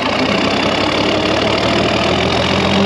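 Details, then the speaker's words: 1966 IH 1206 Wheatland standard diesel tractor after head gasket repair, idling about half an hour to warm up before dyno break-in: even, steady diesel clatter with no knocks or misses. Owner says it sounds fine, no concerns. Normal idle. "well while that thing idles and gets some heat in itself I've it's probably been running a half hour now sounds fine everything is good no real concerns there"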